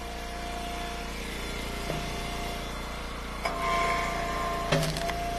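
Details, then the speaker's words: Eastonmade Ultra firewood splitter: steady engine hum with sharp high chirping squeals as the splitter works, the dry squeal of a pivot needing grease. "That's squeaking. Put some grease on there. Where it makes all the noise at. That should help with that."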